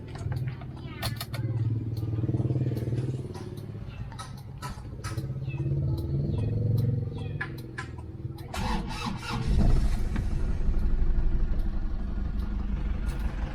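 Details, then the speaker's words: Isuzu Panther diesel that would not crank: after topping up battery water and 30 minutes of fast charging the INCOE 12 V 65 Ah battery, it cranks and catches into a steady idle. Normal start. "Dan alhamdulillah akhirnya motornya bisa nyala ya guys."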